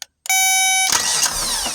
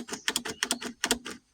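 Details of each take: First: Kubota B26 tractor with no-start, starter signal wire unplugged and voltage applied directly by probe: short tone then steady whirring crank with no grinding or clicking; starter fine, fault likely a safety switch. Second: Kubota B26 tractor that won't start, key turned: sharp dry clicks in uneven clusters, the shutoff solenoid clicking on and off, with no starter whir or cranking; no-start.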